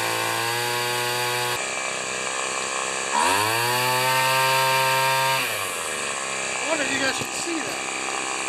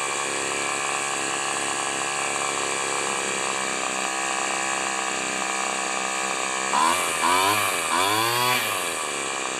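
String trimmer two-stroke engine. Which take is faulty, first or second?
first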